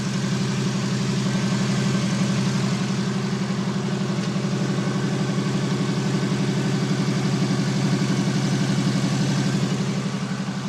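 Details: 1991 Volkswagen Westfalia with a Subaru flat-four conversion and stainless exhaust, cold idle: smooth even pulse, no misses, ticks or knocks; engine running healthy.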